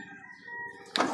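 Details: Driver-side power window after the window track was greased, lowering: smooth, even motor hum for under a second ending in a soft thud as the glass stops; normal operation.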